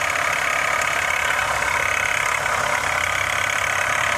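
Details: 2015 Honda CR-V at idle: a fast, light rattle at about four taps per second over the steady idle. Cause unknown.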